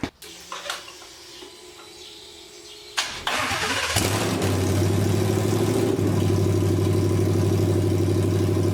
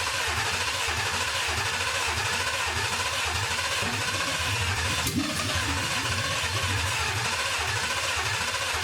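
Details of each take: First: 1979 Ford Bronco with a low-mileage 2020 Gen3 Coyote V8 swap, first firing on temporary bucket fuel with no coolant: a short crank, a quick catch, then a deep, even, healthy V8 idle burble. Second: 1979 Ford Bronco with a 2020 Gen3 Coyote V8, first test fire running from a nearly empty fuel bucket through a 2001 Ford Escort pump, with no coolant: it churns and cranks with one brief catch, then dies without running. The owner suspects low fuel.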